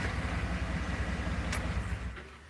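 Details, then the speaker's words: 2010 GMC Denali after engine rebuild with new pistons and a tune: even, low, steady idle with no miss or knock; belt squeaks at times, slight normal GM piston-slap rattle, otherwise running smooth and great. "so you can hear antsy you'll go ahead and set this thing on the truck where it should shake into Adam aspire we're against the fender right now and it runs nice and smooth so runs great the belt squeaks at times but aside from that it's running really really good now"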